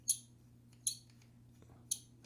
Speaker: you can hear it is a little bit squeaky now I don't know if you could oil that up a little bit or put a little something on there